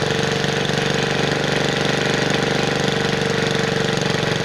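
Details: 1969 Bolens 850 tractor, Wisconsin S8D 8.25HP single-cylinder, run after carburetor initial adjustment while tuning points: fast hard knocking about four per second at high revs; knocks badly at high RPM, idles poorly, smokes; cause unconfirmed.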